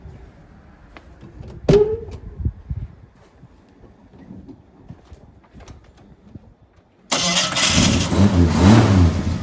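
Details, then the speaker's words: Ford XC Falcon wagon six, mechanically rebuilt with new hoses, belts, gaskets, starter and alternator, burns a little oil: after quiet clicks it fires hard and revs cleanly, full even note, no knocks: healthy start. "Yeah, we'll start her up. We'll give her a kick in the guts and see how she goes."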